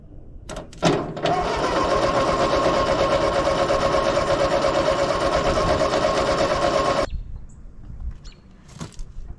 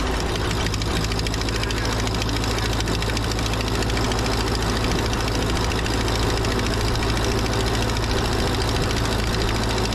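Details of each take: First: 80+ year old Ford 9N tractor: it started and ran well, then died; now steady starter cranking about three turns a second for six seconds without catching, apparently no spark though coil has power; coil suspected. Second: 80+ year old Ford 9N tractor after fitting a new coil: steady low four-cylinder chug at even idle, no knocking; smoky as suspected critter nests burn out of exhaust, exhaust leak at rear cylinder four.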